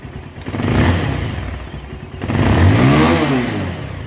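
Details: Bajaj Pulsar 220 just after a full engine fitting to cure a bad engine noise, running under two minutes, tappets not yet adjusted: two quick throttle blips, the note rising and falling smoothly with no rattles or knocks.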